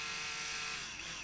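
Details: Slot car's small DC motor on the bench during repair, power fed straight to the motor: thin high whine, steady, then sliding down in pitch as it slows; spinning freely, though front brushes may need cleaning; normal small DC motor running.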